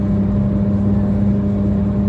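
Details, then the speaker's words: Auction-bought car about 30 minutes into a drive at motorway speed: loud, steady droning hum or growl, suspected worn wheel bearing. Cause suspected, not confirmed. "so far so good only thing we got is that wheel bearing and it's a loud as hell"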